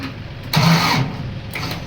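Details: Ford pickup that also won't go into gear: a short burst of cranking fading to a weak churn, the engine never catches; a weak battery is suspected, and a borrowed battery is fitted.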